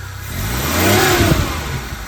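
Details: Maruti Omni engine after being removed, opened and repaired for a knocking suspected in the connecting rods: a quick blip from idle and back with a smooth climbing note, the earlier knock gone.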